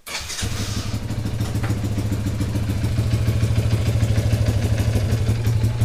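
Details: Yamaha YFM100 Champ ATV after replacing a broken drive shaft (it had clicked in gear without moving), carburetor not yet cleaned: it starts and settles into a steady, even chug of about 200 beats a minute. It engages drive cleanly.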